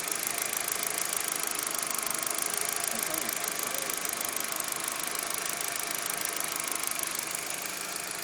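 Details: Audi A4 petrol engine after a new TB was installed: idle with a fast, light ticking over a bright, hissy running sound.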